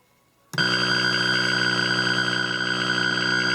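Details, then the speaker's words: Atari Centipede cocktail arcade cabinet, powered on in non-test mode after reassembly: a loud, steady, buzzy alarm tone blares over the game sounds, silent in switch test mode, caused by a shorted slam switch. "And you get that terrible sound. You can hear the game playing, but it is making an awful noise."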